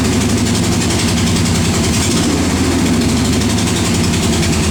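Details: 1968 Corvette V8 at idle: a rapid, steady tapping that keeps pace with the idle from the engine's passenger side; the exhaust gasket was replaced and valvetrain parts checked fine, and the owner suspects a rod bearing. Unconfirmed.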